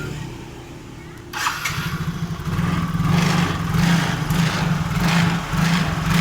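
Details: Yamaha Mio J fuel-injected scooter after repair of corroded ECU wiring that caused stalling, fuel pump dead and stuttering, with manual ISC idle re-adjusted: starter catches after a second, then steady even idle hum, no stumbling or surging; normal start and idle.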